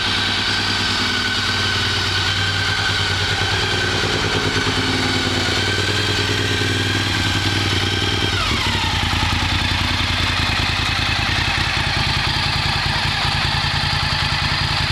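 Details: 2003 Honda RC51 motorcycle that would not start, now starting: engine fires up and runs steady with a crisp even beat, a throttle blip, then back to a smooth healthy run; normal running.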